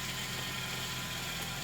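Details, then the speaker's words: 2000 Toyota Celica GTS bought from an auction yard, idling in the garage: steady idle with a thin constant whine that does not change; power steering fluid looks full, source not yet found. "so we're in the garage and I got the engine running you can hear the noise still I'm not sure what's going on here the power-steering looks full"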